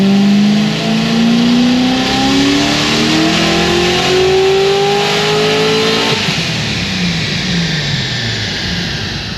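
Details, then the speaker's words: Supercharged LS7 on the dyno after fresh valve springs: engine note climbs smoothly to the top with no stumble, no longer breaking up high, then lifts off cleanly; healthy pull. "806 683 but obviously not breaking up anymore up high"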